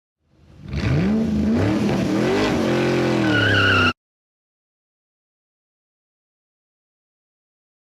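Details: Honda Odyssey power steering pump, before fluid flush: groaning whine climbing in pitch for a few seconds under steering load, then stopping; noisy pump on old fluid.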